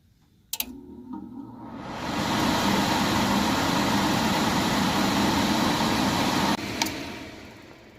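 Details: Furnace blower motor turned on: after a click a steady airy whoosh builds over a second, holds even, then cuts off, running normally.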